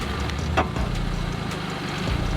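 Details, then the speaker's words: Wrecked MK5 Golf GTI being rebuilt, after high-pressure fuel pump opened and cleaned: steady even idle with smooth low rumble, no knocks or misses; still running nicely. "the car is still running really really nicely like it was"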